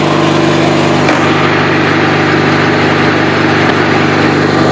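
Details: 1984 Craftsman GT/18 lawn tractor single-cylinder engine after oil change, new spark plugs, pulleys and tires, worn drive belt: even steady drone with no misses, knocks or hunting; runs smoothly.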